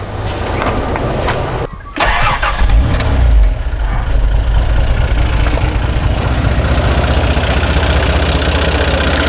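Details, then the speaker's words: 60 Series truck after carburetor rebuild, cleaned fuel and ignition lines, and a new brass radiator with shroud: cranks, catches and settles into a steady, even idle with no coughing or spluttering; normal. "you can hear it's totally different engine no coughing and coughing and spluttering anymore"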